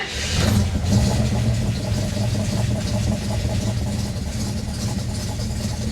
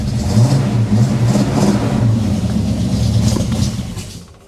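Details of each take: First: 1967 AMC Ambassador after fuel system repair, fuel pump on switched ignition and primed, no leaks: engine catches at once on the first crank, then settles into a smooth, steady idle with no misses or knocks; normal start. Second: 1967 AMC Ambassador after fuel system repair, first start attempt: engine catches and revs roughly for a few seconds, then sags and dies; it stalls, likely fuel starvation.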